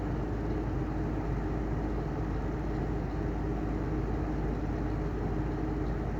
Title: Heller style 2 exhaust fan bad bearings